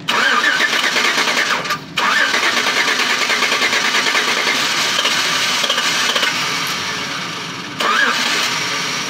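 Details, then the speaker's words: 2007-2012 Chevy Tahoe no-start traced to ECM fault (lost communication codes): with starting fluid sprayed into the opened throttle, catches hard and runs loud and ragged, then sags; fuel not being delivered. "heard that the engine started it ran because i put gas into it here running"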